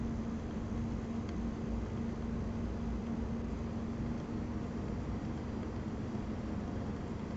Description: You can hear the coil whine, (not the ticking sound that happens every minute or so), and crackling/popping sound throughout the duration of the benchmark.